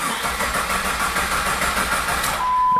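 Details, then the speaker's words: 2001 Jeep Grand Cherokee 4.0 L I6, towed in: starter churns the engine at a steady rhythm for a few seconds but it never catches and the tach does not move; crank no start, stored code P0320 crank sensor, the common fault here. "this is an O one Grand Cherokee four litre I think it's four there's only four later I was cranking on it but it won't start"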